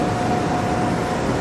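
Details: Cement plant bucket elevator head, running: steady, even chain-and-sprocket meshing with no doubled noise, meaning the sprocket and chain pitch are good. A doubled mesh noise would indicate wear. Elevator temperature is fine. Healthy.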